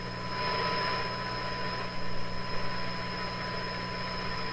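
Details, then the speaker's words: Eveready Model 32 tube radio, repowered with heaters warm, driving a large speaker (roughly 8 ohms) from a signal generator: steady clear test tone over low hum. Faint chirping is interference from shop computer equipment; normal audio output. "So you're hearing the tone from the signal generator. You're also hearing this funny chickadee sound. That's interference from my shop."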